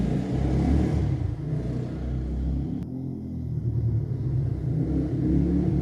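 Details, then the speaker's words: 1989 Yamaha Moto4 200cc single-cylinder ATV after new timing chain; high idle fixed by refitting old carburetor with old throttle cable. Deep steady rumble rises and falls cleanly with throttle, no misses or knocks; normal running. "So I put the old carburetor on with the old throttle cable and it runs fine."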